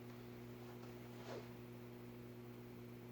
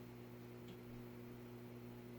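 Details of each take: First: Midwest Fan-Lite retractable blade ceiling fan (LeVelle Bird Fan) at low speed, garage fans running: low, steady electrical hum with a faint pulsing rise and fall; motor hum, otherwise quiet, cause not confirmed. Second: Vintage Midwest Fan-Lite retractable-blade ceiling fan at low speed on capacitor control instead of solid-state: soft steady low hum with no pulsing or rattle, bedroom quiet; normal quiet running.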